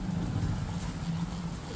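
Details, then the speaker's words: Ceiling fan with a body-current fault, stator winding powered through a test bulb while a tester or screwdriver probes the coil; low, steady mains hum with a faint buzz, the magnetic hum of an energized stator coil. "देखो यह magnet की आवाज आ रही है काफी काफी slow आवाज आ रही होगी"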